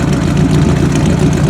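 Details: 1949 Mercury Meteor flathead V8 after repairing bent valve and missing keeper on the dead cylinder, oil pressure about 50 psi: low steady idle with even beat, no stumble or skip; all cylinders firing smoothly.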